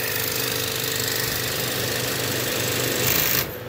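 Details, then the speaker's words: Used inverter-drive heat pump compressor, condemned for excessive vibration, run from a VFD in a makeshift water heater: a harsh rapid jackhammer-like rattle, high amps and cutting out; owner suspects the compressor is bad after all. "but things like the vibrations on this thing was crazy so it might have been bad after all"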